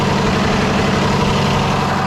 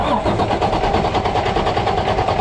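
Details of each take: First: Freightliner heavy-duty truck with Cummins diesel after no-start from air in fuel: even diesel clatter held at raised idle to work air out, steady pulses, no stumbling; running smoothly. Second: Freightliner heavy truck broken down after running out of fuel, cranking with pedal held to floor after refilling: steady cranking at about two and a half beats a second, catching weakly but not running; air in fuel system.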